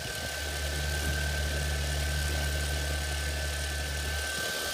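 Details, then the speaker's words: Front left motor of a 450 quadcopter with new carbon fiber propellers at very low throttle, steady hum with faint scratchy, frictiony grind absent from other motors; grinding noise, cause unclear. "Almost like a frictiony, grindy type sound."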